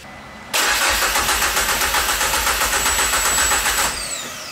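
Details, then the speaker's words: Peugeot 205 GTI with swapped engine, throttle open: even starter churn at about four turns a second, never firing; no ignition, traced to immobiliser wiring fault. "il y a un truc qui ne va pas là t'as contact de mis ? non ah bien... je pense qu'il n'y a pas d'allumage"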